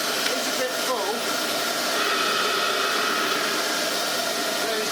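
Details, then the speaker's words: Restored Hoover Junior 375 upright vacuum with new bearings and a genuine bag fitted, original brushroll and belt spindle kept: steady rushing airflow and even motor hum, no whistling leak; suction strong, running normally. "Can you see it trying? Listen to the airflow. This is great."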